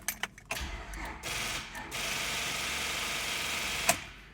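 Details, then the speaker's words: 2001 Honda Accord, no-start in the morning with lights and radio working: one brief crank with the engine kicking over once, then fast steady rapid clicking; weak battery causing rapid starter clicking. "you can hear it tries to start and you even heard the engine kick over once and then it just turns into a whole bunch of rapid clicks that typically leads you to think that it's an issue with the battery"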